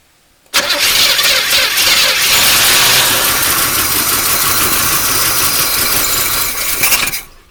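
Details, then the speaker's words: 1981 El Camino V8 sat 21 years, after replacing plug wires on cylinders 6 and 8: cranks, catches, runs loud and ragged about six seconds with slight stumble, then cuts off; lingering slight misfire. "There you go, it ran. A little bit of a miss, but that's okay. Not bad. Ran for a few seconds."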